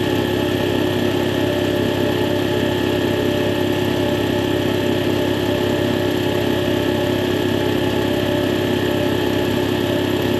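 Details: Air compressor test run after replacing faulty check valve that caused air leaking from unloader; steady even motor-and-pump drone with no hiss or stutter, running smoothly.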